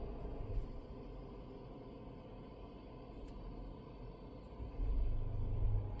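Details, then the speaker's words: Volvo (XC90/XC60/XC40/S60 type) with auto start/stop: quiet cabin, then a soft low rumble near the end as the engine fires back up after start/stop is toggled, settling smoothly. Normal restart. "Now it's off. You just heard the engine fire back up. I'm going to do it once more so you can hear that."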